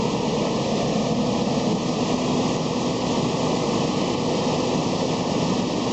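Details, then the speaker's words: 2001 Ford Explorer just after fuel filter replacement: steady, even idle with a smooth low rumble and no misses, ticks or knocks; runs normally, no leaks seen. "Okay, she's running. Got my door open, in case you're wondering."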